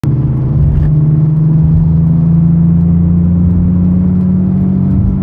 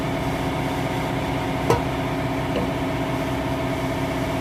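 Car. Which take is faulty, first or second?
first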